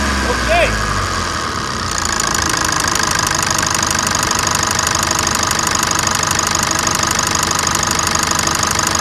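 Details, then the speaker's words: 2017 Chevrolet S10 diesel, 148,000 km, after engine service (decarbonization, timing belt, water pump) and test drive: even idle clatter, crisp regular tick, no misses or knocks; healthy. "festa magnífica melodia de motor a diesel aqui"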